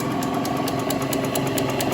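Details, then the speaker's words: 1950 Wadkin RS8 woodturning lathe running at 44 Hz (about 1,300 rpm): steady motor hum with a crisp tick about four times a second as the belt joiner passes the pulleys; normal for this lathe. "And so you can hear that ticking that's constantly running there. But that is a feature of uh of these old lathes that you you get this constant sort of ticking noise."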